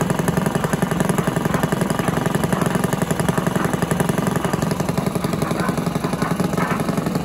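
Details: Villiers 10 petrol engine on an old Barford cement mixer, no choke, steady even single-cylinder beat at fast idle, no misses or knocks; compression not excellent, fuel seems to run through even with tap off; normal running.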